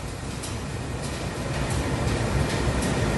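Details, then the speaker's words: 2003 Nissan Pathfinder dash blower after blower motor resistor replacement, key on; steady rushing airflow with slight soft pulse, no squeal or rattle, fan speeds controllable; normal blower operation. "keys on that's a good thing i'm gonna turn it on it's working just the way it's supposed to"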